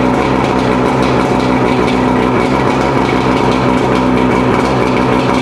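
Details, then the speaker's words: Mercury 115 outboard after rebuild for loud hammering at idle (severely worn piston, combined with parts from a second engine): steady, even idle, smooth low drone, no hammering or knock; ran about half an hour fine. "So all in all, we ran the engine about a half hour. Seemed like it's doing just fine."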